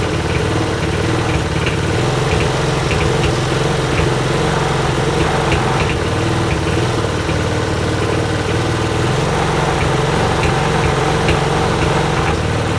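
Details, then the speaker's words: Broken lawnmower bought on eBay, running after the safety cut-off switch was freed: small single-cylinder engine with an even, slightly loping beat. Works normally, though the throttle adjustment may still need tweaking. "So there we have it. It's a fully working lawnmower, and I still think I need to tweak with the throttle adjustment a bit"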